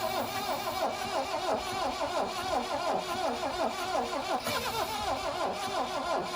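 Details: 1972 Plymouth Cricket (Hillman Avenger) sitting since 1989, 64,000 or 164,000 miles, starting spray in intake, battery sat 6 months: slow labouring crank about 3 turns/s, tries to fire; weak battery suspected, compression enough to fire.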